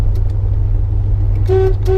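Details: 1968 International Harvester Travelall 1100 half-ton with engine running: horn, which has to be hit just right, gives two short, clear mid-pitch honks over the engine rumble; horn works.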